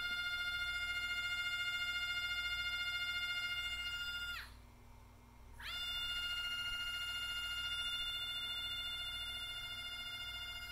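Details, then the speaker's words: NEMA 24 5 A stepper on Stepperonline CL57Y closed-loop driver, Centroid Acorn bench test slowed to 1200 rpm, typical max feed rate; steady high-pitched clean whine with a short dip mid-clip then same note, smooth healthy motor. "there's 1,200 rpm chances are this is going to be where like your max feed rates are oh I hate it when that happens so if you want to hear the motor that's what it sounds like hopefully you can hear it"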